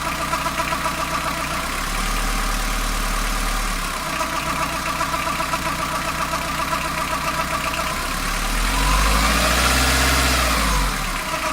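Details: Fiat Ducato diesel idling warm after a coolant change: steady rhythmic clatter about four beats a second, plus one short rev; noise from the belt side of the engine, only when warmed up and only at idle, cause unidentified.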